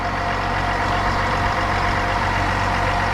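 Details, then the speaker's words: 2021 GMC Sierra with the 3.0L Duramax diesel, idling with the hood open after a fuel filter change and sensor reset. Steady, even diesel clatter with no knocks, ticks or squeals: a normal, healthy idle. "no weird noises or anything like that"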